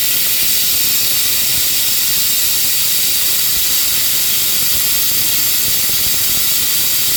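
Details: Compressed air hissing from a leaking shop air hose: a steady, unbroken high hiss with no rhythm and nothing mechanical underneath, heard during a no-start service and carb work on a Honda self-propelled mower.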